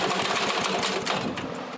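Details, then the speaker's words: Lindell Litter Gitter yard vacuum engine, spark present, carb already cleaned: quick rattling pull-start cranking catches briefly and fades, won't keep running; owner suspects the carburetor needs a new diaphragm, gasket and spring. "The most I've ever got it to do is hiccup a couple times consecutively, and that's pretty much it."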